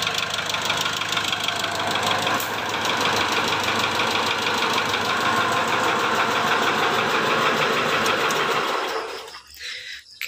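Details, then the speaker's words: 2008 Mitsubishi Strada Triton GLS diesel at idle: a rough, fast tak-tak ticking at about three per second, located at the top of the engine. Valve clearance or, more likely, the injectors are suspected; the injectors are being checked one by one. "untuk suaranya kalau Papi yang denger sih suaranya agak kasar ya di sini bunyinya tak tak tak tak tak tak tak tak tak tak tak seperti itu ya teman"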